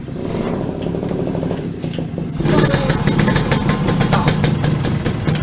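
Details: Restored Yamaha V80 two-stroke (said to be 1980), started in neutral: quiet cranking, then it catches at once and settles into a crisp, even ring-ding idle with no knocks; healthy start-up.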